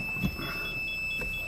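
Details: Kia Sportage with newly fitted front and rear audible parking sensors: quick, high beeps about four or five a second as a sensor detects an obstacle, here the shop's edge, with the ignition on.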